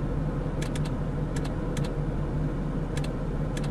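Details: 2007 Jeep Grand Cherokee with radio cutting on and off: sharp uneven ticks, often in quick pairs, about one a second over steady hum near the fuse box; relay cycling, judged an internal TIPM fault.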